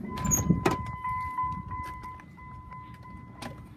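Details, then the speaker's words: 2002 Dodge Ram 3500, 5.9L V8 gas, 148,000 miles, cranks but won't start even on starting fluid: at key-on a steady thin whine holds a few seconds; fuel pump priming normally, no-spark issue suspected. "So, again, I could hear the fuel pump engaging when I uh turned the ignition on. So, I don't think it's a fuel issue."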